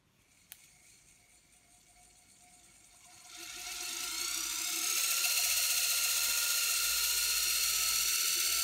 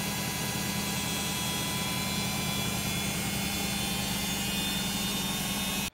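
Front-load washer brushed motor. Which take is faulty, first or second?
second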